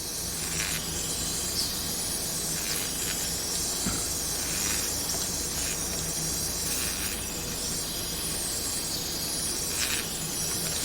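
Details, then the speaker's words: Cylinder leak-down test through a disassembled Champion RJ19LM spark plug, engine not running: constant airy hiss of air escaping on the muffler side, pointing to a leaking muffler-side exhaust gasket; seal not yet good enough for a proper test. "so somewhere here i need to like either get a better seal to do a proper test but that's where it's uh leaking air from"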